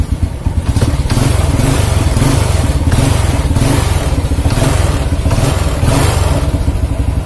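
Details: Motorcycle that suddenly would not start, after ignition fault repair and checking the gap: strong, steady low thrum with even firing and smooth rev swells; runs cleanly.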